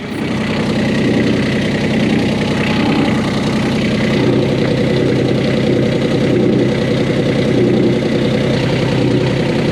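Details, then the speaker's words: 1988 Catalina 36 inboard idling in neutral, shaft not spinning: coarse uneven rattle over the engine beat, sounding like grinding, from an unbolted exhaust fitting vibrating through the aft end. "It's rattling because it's not bolted down. And it's shocking how loud and scary that vibration ends up being throughout the entire aft end of the boat."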